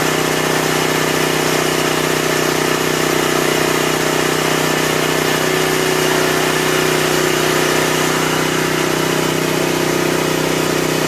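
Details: 1984 Honda EM600 generator, restarted after the ignition coil was remounted and grounded: constant, steady drone with a regular firing beat and no surging or misses; running cleanly at governed speed, normal.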